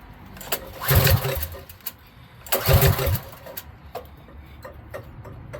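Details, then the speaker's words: Coleman B200RSV mini engine after fitting 18 lb valve springs, cold start: two short bursts of firing that die away, catching then stalling; owner suspects it is out of gas or the double gasket is blocking the tank vent. "I really think we're out of gas, y'all. The last time I put gas in. Right now I don't even have gas. But hey, she fired up."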